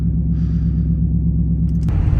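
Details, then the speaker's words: 2014 Dodge Charger Pursuit HEMI V8 AWD, idling at 14 degrees outside with electric exhaust cutouts open: deep, loud, steady burble with even firing, no misses; normal idle. "And then open it up again. And that is at idle."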